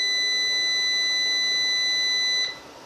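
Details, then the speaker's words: Orvaldi INV-12-840W Home UPS after transistor repair, running a 40 W bulb on battery then switching back to mains: a steady high-pitched beep for about 2.5 seconds then stops cleanly; normal transfer, charging OK. "акумулятор розряджається включаю мережу переключилась в нас мережа ла зарядка акумулятора все Ок"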